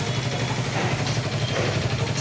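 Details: Hero Super Splendor BS4 single-cylinder motorcycle idling: fast dry clatter over steady exhaust thump from engine; source unknown, to check head top cover and timing chain side.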